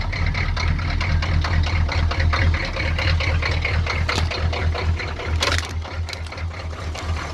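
Cold diesel idling with a loose, uneven clatter and a lumpy beat; it's running rough, and nothing points to a clear cause yet.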